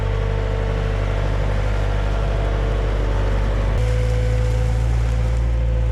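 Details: XL700 waverunner two-stroke after engine reinstall: steady buzz at even idle, stepping slightly up in pitch then settling, no misfire; original problem was only a hose, engine removal unnecessary.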